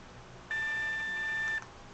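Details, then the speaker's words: Scanner giving a steady, high-pitched beep of about one second over a quiet background, an unexplained repeated beep while scanning. "Beep. That's stupid. I don't know why it just keep doing that."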